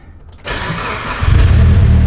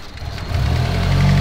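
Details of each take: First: Blue Evo 8 with Chag-tuned rebuilt engine, first cold start after multi-day build: short crank, fires cleanly and settles into steady strong cold idle without stumbling; air-fuel reading spot on at 14.6, healthy. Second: Mitsubishi Evo 8, tuned built engine, just after start-up with new fuel pump wiring: lumpy, sagging idle with hunting revs as if about to stall; fuel pressure only 35 psi, to be raised to about 44 psi at the regulator; stumbling idle from low fuel pressure.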